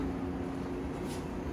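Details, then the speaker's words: Kenmore Series 70 dryer reported noisy, not spinning and not drying: steady low motor hum with slight vibration and no drum tumble, though warm air comes out; broken drive belt suspected, later found broken. "it's making noise, vibrating a little bit. Let's stop that for a second. Yeah, it doesn't seem like it was spinning, but there is warm air in here. It makes me think it's probably the belt."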